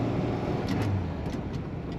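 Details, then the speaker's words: 1961 Plymouth Belvedere with 3-on-the-tree manual, pulling away from a stop in first gear: low, even drone, not overly loud or rumbly, no rasp, ticking or boom; original-sounding normal exhaust note. "Sounds very original to me. It's not overly loud or rumbly. You actually can hear the engine."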